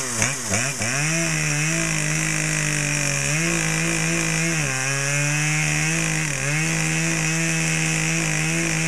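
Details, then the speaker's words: Brand-new Dolmar PS-7910 chainsaw, full wrap, 28" Sugihara bar, LGX chain, factory carb settings, second start and a little warm: steady high two-stroke howl dipping briefly as the chain loads into wood, then recovering cleanly; owner thinks it may be slightly rich. "I just want to double check and make sure that's not the limiter we're hitting but other than that uh starts some runs real good"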